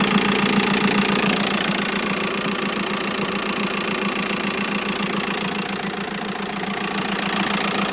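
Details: Idling engine on an inspected used car, said to be a 2006: a fast, fairly even knock about three or four times a second rides over the steady idle; the crankshaft pulley damper is knocking.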